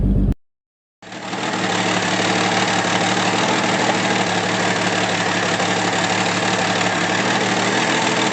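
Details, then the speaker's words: 1964 Pontiac Tempest inline six with a new budget replacement carburetor: steady, slightly lumpy low idle with no knocks, possibly running a little rich, to be leaned out at the idle screw. Rough idle. "Alright, so after running a few test runs, I'm determined I think we're running a little bit rich."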